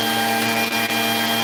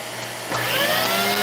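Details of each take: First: Vacuum run with the wand bypassed, hose straight to the head, pushed forward: steady even motor hum with no cutouts or dips; the wand is suspected as the problem. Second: Vacuum cleaner with intermittent no-power: the motor hum suddenly surges and climbs in pitch as power comes back while the wand is pushed forward. Intermittent cut-out from a loose wand connection.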